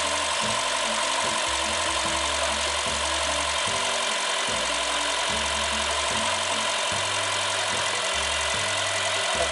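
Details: Honda Freed with a flat battery after ten idle days, started with an Amazon jump starter: steady even idle, smooth low throb, no knocks or misses. Normal idle.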